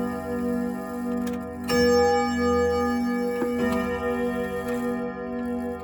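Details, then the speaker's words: 1927 Junghans German grandfather clock after repair, pendulum beat adjusted, case on thick carpet and possibly not level: sustained chime tones ring over a steady even tick-tock that continues after the strike; clock strikes and runs normally. "You know what I think I like about it the most is that it makes all that noise, and they all do this, but it makes all that noise. And then behind it is the tick tock."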